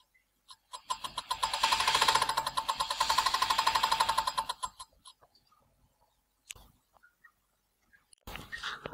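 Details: Tacx Booster trainer brake: metallic ringing pulsing about four times a second while the wheel spins, then dying away. The disc inside seems wobbly; the cause is unclear.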